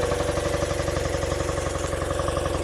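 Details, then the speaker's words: 1976 BMW R90S 900cc boxer twin, stone cold, fired first try: settles into an even, steady putter with firm regular beat and no knocks; healthy cold idle. "whoever worked on that bike did a great job because it's stone cold it's fired right up on the first"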